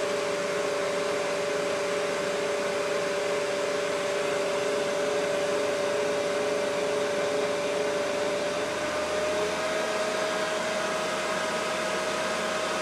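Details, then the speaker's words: Mikini 1610L fitted with a replacement inverter-duty AC motor on a Hitachi VFD, at full speed of 120 Hz (about 5200–5500 rpm estimated): steady, smooth whoosh with a constant high tone from the motor's top cooling fan, no knocks; normal. "okay that's full speed there 120 HZ should be about I forget I think it's like 5200 RPM or 5500 something like that if my math is right so all that noise is just the fan on the top of the top of the AC [Music] motor"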